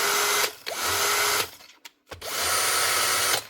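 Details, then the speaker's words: Bosch GSB 18V-21 cordless drill, light-use motor worn out and replaced with a new motor with brushes fitted. Two short, steady high-pitched runs start and stop cleanly; sparking from the fresh brushes is normal: healthy. "So it's a new motor. Brushes already in it. Get rid of that. And then just make sure it she actually works."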